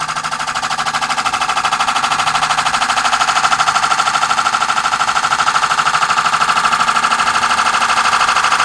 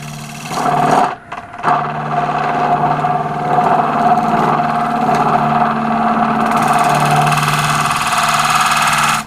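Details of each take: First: Wood lathe turning a hybrid oak and cast-resin platter with resin-filled holes, light cut at the center: steady, evenly spaced rapid tapping over the lathe hum as the tool catches high spots; interrupted cut on an out-of-round, uneven workpiece. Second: Wood lathe at 1100 rpm, lighter cut with a square-style radius tool on a thin oak and resin platter: steady motor hum, constant mid tone, even cutting hiss; hardly any chatter left, since the lighter cut stops the flexing.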